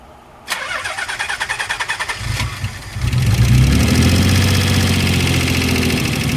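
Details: Nissan 300ZX (Z32) Twin Turbo starting up: cranks, catches, settles to idle with light fast hydraulic lifter ticking over the engine sound.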